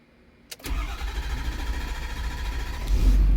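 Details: Ford Super Duty 6.7 Powerstroke diesel after CP4 pump and injector install with IQA codes programmed, low on fuel, on the second key cycle: short crank and quick catch, then it settles into a steady low rumble and starts cleanly.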